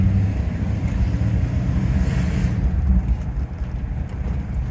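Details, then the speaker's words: Rolls Royce Silver Shadow V8 on the move after SU carburettor tuning, heard from inside with the window open: deep, ragged rumble that comes from an exhaust leak; the engine itself runs smooth in the engine bay and is more responsive. "and of course the engine sounds rough because of the uh exhaust leak uh because from from inside here with the open window we're hearing the uh exhaust leak uh at the loudest but the engine itself is sounding very smooth if you if you listen to it in the engine bay"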